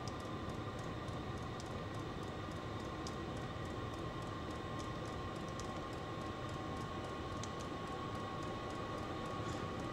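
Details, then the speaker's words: Vevor 5 kW diesel parking heater on dual Ryobi 18V One+ batteries, turned up from level one toward six: steady fan rush under quick even fuel pump ticking, pump speeding up and louder; battery voltage drops to 11 V; normal running at high heat. "so it goes up to S all the way up to six on two three you can hear it getting louder fuel pump increases in"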